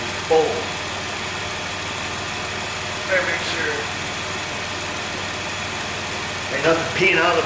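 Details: High-mileage 2008 Dodge Grand Caravan, replacement 3.8 L engine just started and coolant filled: even idle, picks up cleanly on short throttle blips and settles smoothly; sounds healthy.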